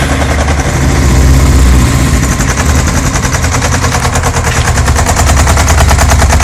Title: Yamaha XJ600 Diversion strange engine knocking noise